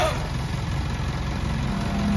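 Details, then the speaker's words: Selfloader truck power take-off keeps making a steady low droning rumble even when switched off, and the linkage is stiff when released to neutral. PTO bearing noise. "Ah yung pto nito mga kayabe kahit naka-off natunog"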